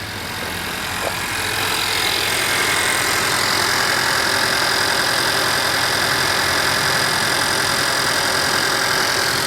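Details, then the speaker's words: 2021 Honda Civic Sport (hail-damaged, at a salvage auction), engine bay listened to after a few revs: smooth, even idle with steady hum, no knocks, ticks or misses; charging at 14 volts; healthy. "sounds healthy charging up at 14 volts"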